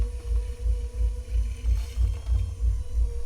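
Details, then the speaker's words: Budget Vevor 350W, 25 cm electric pottery wheel while centering clay: a low motor hum swells and sags in a steady pulse about three times a second. The wheel is slowing and recovering under the torque; suspected, not confirmed. "you can probably hear the sound of it slowing down and speeding up but most people aren't going to put the torque on this wheel that I will especially if they're a beginner trying things out"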